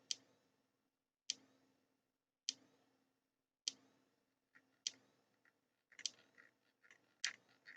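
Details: Thunderbird TB10 battery-powered portable strip-grazer fence energiser on the bench: sharp dry ticks about every 1.2 seconds, evenly spaced; seemingly discharging the capacitor but no HT output, owner suspects open-circuit transformer or orange wire.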